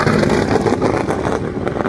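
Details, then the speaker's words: 2011 Lotus T125 Exosphere (Cosworth engine, Pectel ECU) on track at Mid-Ohio after repairs: ragged, uneven note under load with stumbles breaking the pull; suspected misfire and power loss persist, cause unknown, possibly a spark plug. "Sounded great. Yeah, that sounded like ass, too."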